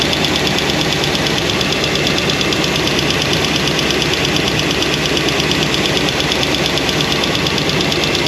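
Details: New Comp Cams hydraulic roller cam and lifter combo after break-in, valve covers off at idle: fast, steady tick over a loud idle. Lifters show little oil flow and won't adjust out; hydraulic roller lifter noise, with solid roller lifters planned.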